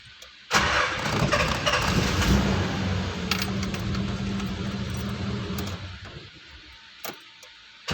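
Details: 1990 Nissan Safari after its crank no-start fault is fixed: a quick crank, then it catches and settles into a steady, even run with a low firm note; a clean start.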